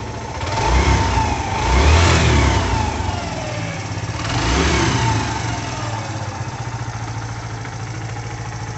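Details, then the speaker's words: Faint, thin hiss or whine rising and falling with each rev over the motorcycle engine note, from its silent-type timing chains, which are quieter than conventional chains; normal timing chain whine, nothing wrong. "as correntes utilizadas nos motores são do tipo Silent ou seja são mais silenciosos que as correntes convencionais mesmo assim elas emitem chiado não muito alto que acompanha a rotação do motor"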